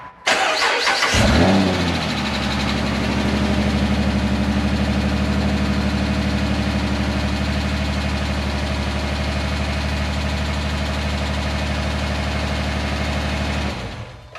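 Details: 2010 Dodge Charger 3.5L V6, first start after timing belt, water pump and thermostat replacement: brief crank, then it catches cleanly and settles into a steady, even idle with no ticking or knocking. It smells a little rich; a leak is found.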